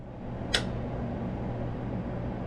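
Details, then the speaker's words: Two-pipe fan coil unit in a New York City hotel after teardown and cleaning, final test with covers back on and the heater pulling 8 amps: quiet, smooth low hum with one brief click near the start, no rubbing or rattling; blower runs normally. "Everything's nice and quiet."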